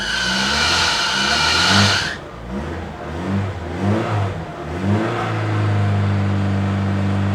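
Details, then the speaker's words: 1990 Opel Kadett E, first start after sitting unused for many years, battery a bit low: engine revs up cleanly, drops back through a brief wobble, then settles to a steady, even idle. Healthy engine revving, smooth. "it is really running nicely considering this has not driven for many years it is smooth uh it sounds nice it's not too tabid it's overall really healthy I think"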